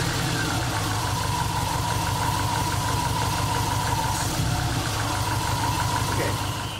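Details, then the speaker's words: Suzuki Samurai with Microsquirt distributorless EFI ignition conversion, first run in months: fast metallic pinging over a lumpy idle; spark knock from over-advanced timing. "but I noticed when I was listening to this previously got I did have a NOC so it was too much advanced there so we're gonna try 10"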